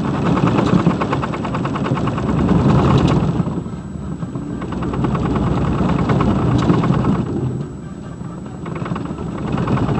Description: 2002 Silverado 2500HD the center driveshaft support bearing broke while off-roading in the snow. This is what is sounds/feels like.